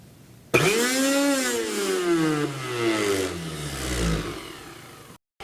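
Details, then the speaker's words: Mixer grinder with broken coupler removed, motor run unloaded; clean rising whine, holds steady, coasts down smoothly without grinding or rattle; motor works fine, only coupler needs replacement. "So luckily this is working. It just needs the replacement of this coupler."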